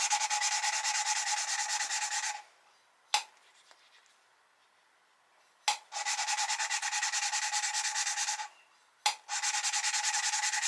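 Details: 1973 Triumph TR6 engine head rebuild after new valve guides pressed in, valves hand-lapped into seats with compound; gritty rasping in back-and-forth bursts about three a second with pauses: valve lapping.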